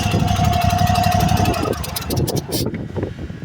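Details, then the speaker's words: Small lawn-mower-type engine idling then shut off: sharp hissy puffs of combustion gases escaping an externally blown head gasket, loudest at idle and shutdown, causing power loss. "You hear that hissing sound? Best noticed at idle or upon shutdown. That's the sound of the gases escaping the head gasket externally."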